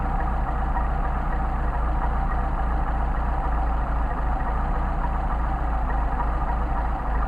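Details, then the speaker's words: Mercedes 190SL twin carburetors on test after rebuild, idle mixture screw turned out too far during adjustment; steady low idle with uneven stumbling beat and no clean rhythm, running rough. "fact I'll screw doing too much and you see what happens yeah rough it is wrecking out here it's moving out"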